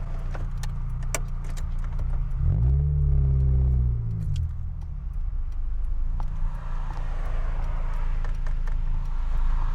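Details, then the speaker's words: Honda S2000 on a test drive with the top down, after a new timing chain tensioner and an oil change: the engine note climbs steadily through the revs under load with wind rushing over it. It pulls cleanly. "Small pull, ready? Here we go. I'm really hoping you guys could hear that."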